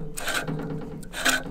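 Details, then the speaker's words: Reel mower after backlapping, reel-to-bedknife set lightly, only just grabbing paper: short light papery rasps as the reel sweeps past, no heavy grinding; normal light contact, set just right. "Yes, and see you can hear how that's not really that tight at all. It's sort of just contacting, It's only just grabbing the paper. Which is what you want to aim for when you are back grinding or setting your reel to your bed knife in general."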